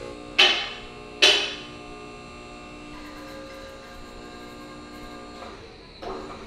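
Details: Max Jax portable two-post lift for a low-ceiling garage, after bleeding air from the cylinders: a couple of sharp metal clanks, then a steady, even electric hydraulic pump hum all the way up. Normal pump operation.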